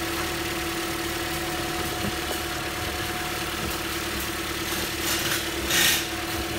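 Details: 2015 Toyota Corolla, 73,000 miles, had random misfires P0300–P0304 and intake camshaft position actuator code P0010; after repair at the air line: smooth, even idle hum, constant pitch, no stumble, light background clicks. Normal idle.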